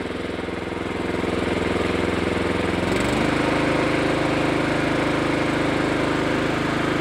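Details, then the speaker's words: Honda Harmony II HRS216 lawnmower, neglected and sat five years, after carburetor service and tune-up, restarted warm: single-cylinder engine fires evenly at low idle, settling to a slightly higher steady speed without misses or hunting; fueling well now. "Tôi nghĩ rằng cô gái già ở đây đang đổ xăng tốt ngay bây giờ."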